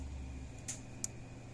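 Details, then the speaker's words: Power Wizard PW500 electric fence charger on bench after repair: quiet hum then short sharp ticks, output over 7000 volts; normal pulse clicking. "but it sounds healthy it's clicking like it's supposed to these aren't very loud used to start with"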